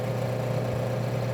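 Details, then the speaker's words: Refrigerator compressor with shorted winding: heavy low mains hum with no normal start, drawing over 30 A per clamp meter, followed by thermal protector clicking off; compressor must be replaced. "são dois barulhos O primeiro é do curto em si o segundo do protetor térmico desligando"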